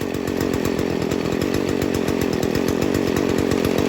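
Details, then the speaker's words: Stihl FS 40C two-stroke trimmer during carburetor tuning, low screw turned left; idle starts to bog with heavy, labored buzzing, running too rich, getting too much fuel. "okay so it's starting to bog down now so it's running too rich it's getting too much gas"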